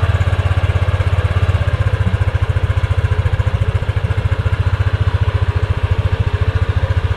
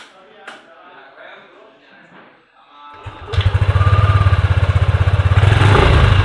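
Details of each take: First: Yamaha Aerox scooter idling after the license-plate rattle was fixed by adding brackets to widen the gap: steady, even thump at two to three beats a second with no buzz or rattle; healthy. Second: Yamaha Aerox scooter idles with a fast throb and a thin buzzing rattle from the rear number plate, which vibrates against the center fender at low speed; fixed with a bracket that widens the gap.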